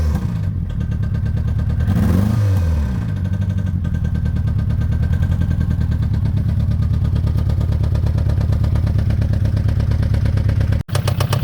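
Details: Citroen ZX 1.9 engine revs briefly then settles to a lumpy idle with rapid uneven clatter over the drone; engine knock, cause unconfirmed.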